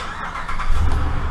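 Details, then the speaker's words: 2013 Dodge Ram 5.7 HEMI, after repairing a passenger exhaust manifold leak from broken manifold bolts; short burst of running from a cold start, steady low rumble, no ticking over the exhaust, sounds sealed and quiet; normal. "so far nice and quiet get going see where i'm going here go for a quick run not too long"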